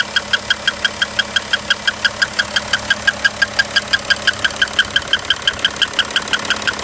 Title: Audi Q7 2011 3.0tdi 239 hp bad engine sound